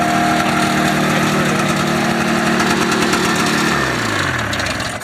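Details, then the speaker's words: Ski-Doo Formula Plus 583 snowmobile that sat for over five years, running off chainsaw gas with the tank off: a crisp, even two-stroke buzz with no misses, then a smooth wind-down. Sounds healthy; the carbs may still need cleaning. "she's right there running off the little chainsaw gas runs good runs great headlight at least you got a headlight sounds i mean it sounds healthy"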